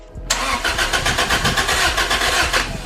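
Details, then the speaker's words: Toyota MR2 just fitted with a Garrett turbo, new injectors and spark plugs: starter cranks evenly and fairly quickly for about two seconds but never fires; ECU shows a communication error, suspected cause of no start. "So it didn't work the first time, but we're gonna cycle the key a couple more times, and then hopefully it works. You're getting a communication error with the RFC."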